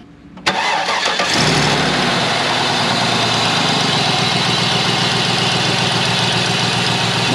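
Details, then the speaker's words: 2003 Cadillac DeVille 4.6 Northstar V8 with P0300/P0306 misfire, after fitting a junkyard coil pack: cranks, catches, then rough idle with uneven stumble; still misfiring, later traced to four clogged front fuel injectors and fixed by replacing them. "really now we still have a misfire so it can be the coil pack that we put in is also bad or we're gonna try to pull the fuel injector see how it looks"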